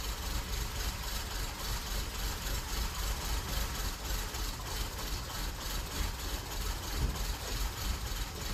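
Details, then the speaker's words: 2006 Honda Accord petrol engine after diesel contamination: quiet but uneven, slightly lumpy idle. The fuel rail dead-ends with the regulator in the tank, so the diesel in the rail must burn out before fresh fuel arrives. "But since these fuel rails come up and just end, you literally have to burn everything that's in the fuel rails out before it get fresh fuel up there."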